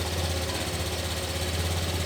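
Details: Brand-new Honda Beat LED scooter with a CR7 PNP alarm, restarted after testing the anti-theft engine cut: an even, steady idle putter with a regular low pulse and no misses. It idles normally with no ECU error.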